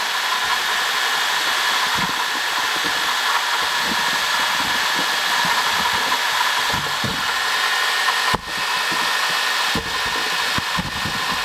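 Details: 2005 Honda Odyssey (registered Nov 2005, 268,167 km, CVT) at quiet idle: constant hissy whir with a faint steady whine from a worn water pump bearing; replacing the water pump, thermostat, thermo switch and coolant cured the noise.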